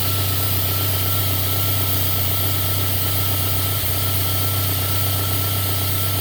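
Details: JDM 3rd-gen Toyota Celica 3S-GTE turbo at idle, with an uneven pulsing misfire about four times a second that usually starts after a minute or two. Multimeter on the OBD1 O2 port jumps to 2-3 V and AFR swings from 14.7 to 16-18 during misfires. Lean misfire, cause unconfirmed.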